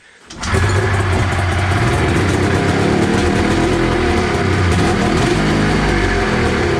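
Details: 1993 Arctic Cat Thundercat 900 two-stroke snowmobile, first start after sitting: catches after a few pulls and settles into a steady, crackly run with no misfire.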